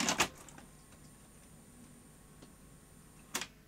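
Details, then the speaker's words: Sony Beta VCR at power-on, before belts or capacitors replaced: quiet clicks and faint motor whir, then a crisp clack as loading finishes; tape laces up normally. "it sounds like it has laced up very nice"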